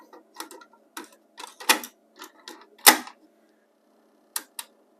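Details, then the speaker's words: Pioneer CT-W801R dual cassette deck 1, which won't play and whose tapes don't turn: motor runs, scattered clicks as it tries to engage, reverses and drops back to stop; transport clicks and shuts down, worn belts suspected. "Sound like the motor's running, so that's a good sign. We're not playing at all. In fact, it tries to reverse and then it goes back to stop."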